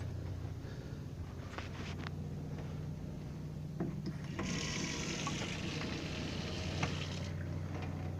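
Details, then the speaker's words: 1995 Fleetwood Bounder 35U Class A RV fresh water pump, left switched on. Quiet steady low hum with water hiss and some clatter in the background. Pump running continuously. "hear that this pump was left on for that switch"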